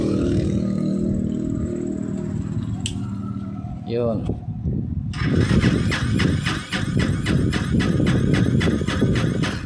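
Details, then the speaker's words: Honda XR200 hard to start, runs only on choke, carburetor faulty: repeated starter churning about four beats a second with no catch; cranks but won't fire without choke. "Ngayon ah subukan natin i-start ano ayaw pa rin ah."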